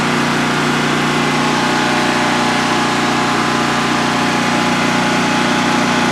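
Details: DuroMax XP15000HX generator on propane, newly installed in a shed, second start, exhaust fan off, five-minute test run: steady even low drone at constant speed, no misses, knocks or surging; smooth healthy idle, no issues.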